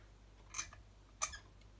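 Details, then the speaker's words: 2012 Epiphone Les Paul 59 Ltd Edition: the long deep-chassis toggle switch gives three thin squeaky scrapes as it is flicked, stiff and binding; to be replaced with a proper deep-chassis Switchcraft switch. "bind it squeaky you can hear it it's a little this will be an important one this watch it won't be a switchcraft one so we're going to replace that for him with a proper deep chassis switchcraft one"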